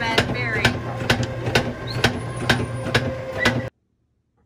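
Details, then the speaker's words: Bad roller on lane 5 of a lane machine: sharp, regular knocks about twice a second over the machine's running hum as the roller turns. "So we have a bad roller over here on lane 5. You can hear it knocking."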